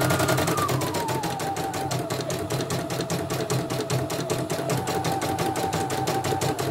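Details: CNY E900 embroidery machine, jump setting 2.5, after dynamo (motor) replacement and sensor test: quick, even stitching clatter about 2.5 beats a second with steady motor hum, no skips; running smoothly.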